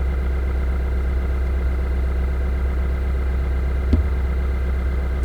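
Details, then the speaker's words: 2015–2016 Subaru WRX/STI, warm idle heard in the cabin after installing a Perrin pitch mount brace and new clutch line: steady even low rumble with no rattle or buzz, less engine noise than before; normal idle. "so in in my mind i think there's actually a noticeable difference in the amount of noise coming from the engine into the cabin"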